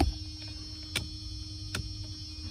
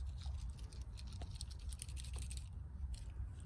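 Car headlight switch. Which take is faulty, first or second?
second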